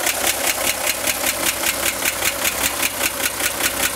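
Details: 1965 Chevrolet Corvair engine at idle: sharp, crisp ticks about two and a half per second from the top of the engine near the fan, worsening over 2-3 weeks; tightening the fan belt helped only slightly, cause not found.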